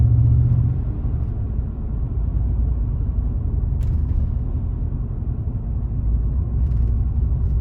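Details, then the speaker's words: 2019 Chevrolet Silverado 5.3 L V8 with active fuel management, Range AFM disabler (rated up to 2018) still plugged in after restart: deep steady drone on lift-off as it still drops cylinders; disabler seemed to lose power. "even though it still plugged in its dropping cylinders again"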